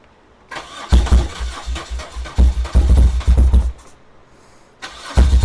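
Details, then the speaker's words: 1978 BMW R100S boxer twin, first start after sitting for years, with starter fluid sprayed into the left carb: lumpy, stuttering firing that fades and catches again. Rough running on one cylinder; left carb suspected blocked. "Towards the end of the video, you saw me grab some starter fluid and spray it into the left carb, and it ran. This left carb finally started running, and that"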